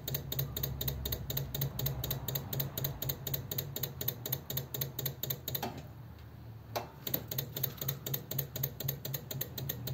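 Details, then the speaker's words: Electric fuel pump on a 1933 coupe hot rod with a new dual carb conversion, priming. Steady ticking at about four per second with a short pause as it fills the float bowls; it should stop once the floats shut off the supply. Normal. "I was going to say what he normally want is for it to stop ticking yeah as the floats come up and shut the supply off"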